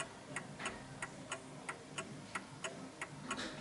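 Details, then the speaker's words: 1950s Smiths Enfield striking mechanical mantel clock ticking about 90 per minute with uneven tick-tock spacing after adjusting the L-shaped beat setting at the top, on an uneven surface; still slightly out of beat. "that it's a little bit off for my liking, so only because I've trained my ears to it."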